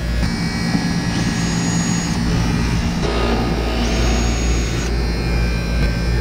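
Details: Outdoor AC condenser unit on 247 V gives a steady, loud low buzz, with music over it, from a worn contactor that is then replaced.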